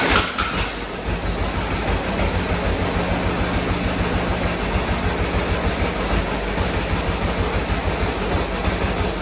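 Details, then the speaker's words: 1947 John Deere B two-cylinder, first start after replacing spark plugs when it had been running on one cylinder: catches quickly into a steady putt, both cylinders firing evenly with no misses. "first start on the John Deere B with the new spark plugs there we go"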